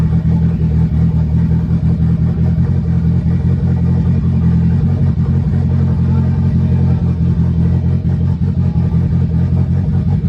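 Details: Honda sedan engine running smoothly on its first start after chain tensioner and valve lash work; earlier smoke toned down after fuel trim map change. Steady, even low rumble holding one speed, no knocks, ticks or stumbles; normal running.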